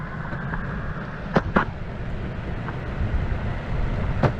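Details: Verreal RS electric skateboard, brand new, about 18.8 miles on remote odometer, ridden on rough asphalt: steady low rumble and clatter from the whole deck with occasional sharp knocks, motors barely audible; sounds fine on smooth asphalt; loud board rattle, cause unclear.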